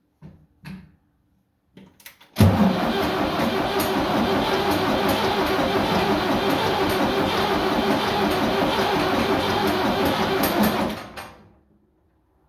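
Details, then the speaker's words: 77 diesel tractor that sat two days cranks steadily about three compressions a second for eight seconds with a fully charged battery and jump pack, never catching. The tank was found with no diesel: crank no start, out of fuel. "I mean, it looked to me like there's no diesel in it."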